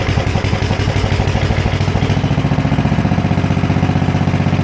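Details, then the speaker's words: Sears ST10 garden tractor, left sitting outside since summer, first start: its small single cylinder thumps steadily at about four beats a second with no knocks or misses, a healthy run as the owner remembers. "That sounds just like I remember it. They're all pretty much the same."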